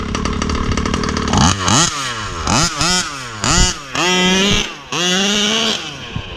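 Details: Rovan 36cc big-bore two-stroke with a Victory expansion pipe, started without choke on a hot day; low steady idle, then sharp blips that climb quickly and fall back cleanly, strong bottom end with no stumble, a normal throttle response.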